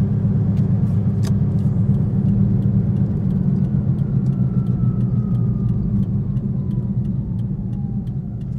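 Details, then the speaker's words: 2010 Toyota Prius driving at slow speed after loose rear spoiler was fixed: steady low hum not tracking engine; later believed a bad wheel bearing, awaiting inspection. "But yeah, like even right now, 13, it's still making that"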